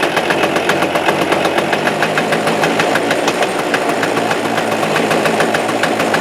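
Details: Suzuki Address 110 engine, loosely sat in the frame with nothing bolted, starts first pull, and steady clattering taps keeping pace with engine speed ride on a busy idle, unchanged, so the motor must come apart: a loose flywheel rotor.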